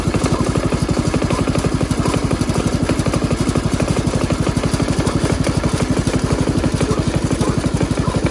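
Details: Jacobsen Chief 1200 garden tractor with Kohler single-cylinder engine, cold start, parked in forward gear, running to drain the carburetor bowl: rock-steady, clean thump at about four beats per second, no skips; normal healthy idle.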